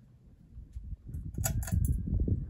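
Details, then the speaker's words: Casablanca Lady Delta ceiling fan on high speed: low whooshing with bursts of light, glassy ticking every few tenths of a second as the pull chain taps the glass globe. "high speed that noise is the chain roping against the glass"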